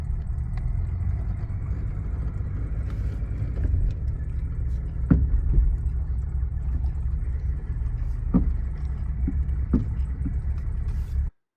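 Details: 1979 Mercedes 116, driving over bumps: sharp single clunks every few seconds over road rumble, also on steering turns; front right tie rod end heavily worn with torn boots and play, replaced to eliminate the clunk.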